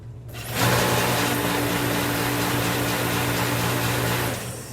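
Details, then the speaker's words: Master 100,000 BTU kerosene salamander space heater that quit on a 17-degree day, top cover off, spark confirmed: steady fan-motor hum with low drone and no burner roar; it never lights, fuel delivery to the nozzle suspected. "okay so we're getting spark now we need to find out if we're getting any fuel"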